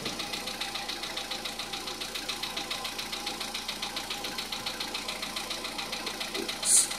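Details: 2014 VW Polo Sedan, not yet warmed up, knocking since about 44,000 km on the same oil for two years: sharp, regular light tapping about twice a second over a quiet idle; hydraulic lifters suspected, cause unconfirmed.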